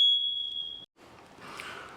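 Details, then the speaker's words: Linked house smoke alarms sound a shrill, steady high-pitched tone for under a second, tripped by sprinkler flow during final-inspection testing; all interconnected alarms go off together, then return to normal once pressure rebuilds. "What's going to happen is the fire alarms is going to start setting off within the house. And because they're all connected, all the fire alarms within the house will go off at the same time."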